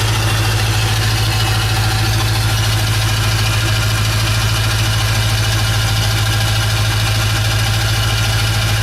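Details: 1996 Ford F350 7.3 Powerstroke diesel after electronic fuel conversion with new fuel pump: loud, deep, steady idle with even low rumble, no misfire or knock; running smoothly.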